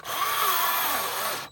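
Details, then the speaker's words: Aftermarket replacement battery for DeWalt, still warm after earlier thermal-protection cutouts and showing 3 bars, powering a cordless tool: a thin, strained motor whine that sags and drags through the cut, then quits as the battery finally loses power. "But watch, it barely will do anything. That's it. It finally lost power."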